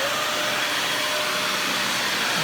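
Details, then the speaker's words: Dyson DC41 vacuum, trash find with replacement used cord and new dust bin latch, running: steady motor with a loud airy hiss. Air leak suspected near a gouge in the bottom part by the dust cup, or plastic flexing; unconfirmed. "but there is an air leak of some behind. It might be due to the uh that gouge that's sinking into the bottom part where that dust cup I showed earlier"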